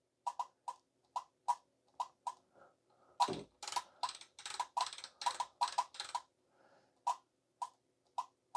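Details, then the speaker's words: Kenwood TS-430S in CW mode, keyed into a dummy load, after spraying contact cleaner between the switch wafers: a single crisp relay click per key press instead of the earlier rapid-fire chattering. "I would expect to hear that relay clicking noise when you click in, but before, it was just rapid fire."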